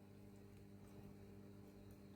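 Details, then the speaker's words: 1965 WEM Clubman MK2 guitar amplifier after full recap, safety repairs and replacement of burnt resistors, volume flat out: only a faint low hum and soft hiss, no crackle or buzz; normal quiet noise floor. "But, but that is just just so quiet as well. That's flat out. I turn the volume Turn the volume down. That's unbelievable. That is so quiet."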